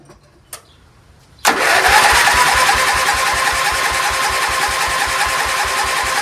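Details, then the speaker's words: Dayton 11HP lawn tractor, Lucas oil just topped up, gas present: starter churns steadily at about two and a half strokes a second but never fires; oil inside the carburetor and likely the combustion chamber, spark plug super wet. "It's got oil all inside the carburetor, so I'm gonna have to help it out. Probably oil all inside the chamber."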